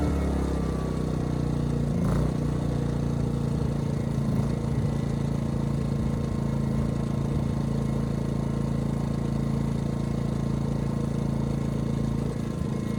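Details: Ryobi RYI2300 inverter generator, 15 months old, after fix: stalling under heavy load solved by turning the easy-start knob further. Steady hum, briefly unsettled early, then even constant speed under load without stalling; normal running.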